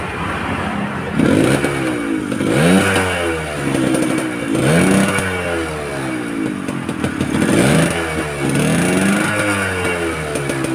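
Three clean blips of the throttle, each rising and falling smoothly with no misfire or stumble; engine runs healthy.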